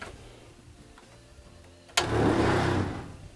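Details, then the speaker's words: Outdoor shower water pump kicking on: quiet, then a sudden loud buzzing rattle with a low hum. The pump vibrates its metal mount and the attached water line; this is normal operation. "now on kicking this thing on you're going to hear some really loud noise and what that noise is is the water pump vibrates and therefore this metal here will vibrate"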